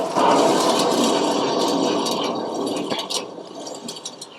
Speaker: there's considerably more noise on this one so what i'm going to do next is i'm going to take the tire off